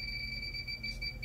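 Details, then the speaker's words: Electronic leak detector at the bottom of the evaporator coil on reach-in cooler no. 4: steady, piercing high alarm; a confirmed refrigerant leak, so the evaporator coil needs replacing. "Definitely not a false alert here. It's definitely a leak."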